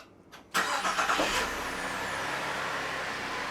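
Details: 2006 VZ Commodore V6 after starter motor replacement: brief quick crank, engine catches cleanly and settles into steady even idle; starting system working normally.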